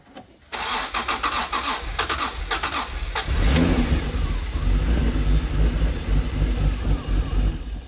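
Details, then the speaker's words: Heavily modified turbocharged Honda NSX V6 after sitting about 10 years: cranks, then fires and runs rough and uneven only on starting fluid, so injectors aren't delivering fuel; owner suspects stuck injectors needing tapping, cleaning or replacement. "then we know that there's some sort of issue there on the fueling side if that is the indication then we going to try to tap on the injectors"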